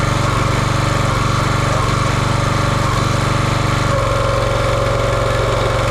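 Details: Champion 27-ton log splitter, 224cc engine, stored outside probably over a year, after a hydraulic fluid leak was fixed by tightening: steady even single-cylinder beat, pitch dipping slightly as load comes on at four seconds; healthy running.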